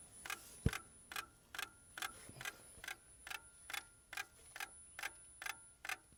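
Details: Lada Priora, cold, ignition on and engine off: sharp, even clicks a bit over twice a second; the car also starts poorly. Source of the ticking not identified.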